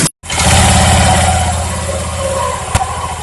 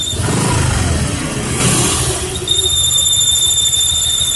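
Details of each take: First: Honda Vario 125 ESP scooter idling after replacing the stiff crankshaft seal that caused the ringing at idle: steady, even low putter with no ringing or whine. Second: Honda Vario 125 ESP scooter at idle with a loud, steady high-pitched squeal that disappears when throttle is opened; cause is a hardened crankshaft oil seal, replaced with a new one.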